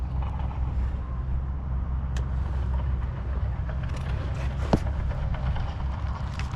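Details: Traxxas Slayer Pro nitro RC engine after tuning, low-speed needle set at a 3-second pinch test, half a tank of fuel: steady even low drone at idle with no stumbles or surging. Judged well tuned and reliable.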